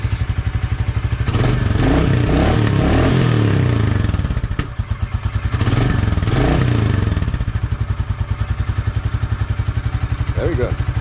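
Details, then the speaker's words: Royal Enfield Classic 350 single started just after an oil and filter change, level correct in the sight glass: steady thump at idle with two clean throttle blips and a crisp return; runs smoothly and sounds healthy. "We can now start up the engine and see how she's liking that with all new oil. That sounds fairly good."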